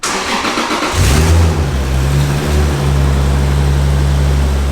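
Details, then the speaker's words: MK4 Toyota Supra, turbo, on high-octane gas, start-up: cranks, catches quickly and blips once before a smooth steady idle with no valve ticking or rod knock; healthy engine, though a possible exhaust leak near the downpipe is suspected. "no noisy valves no noisy rods"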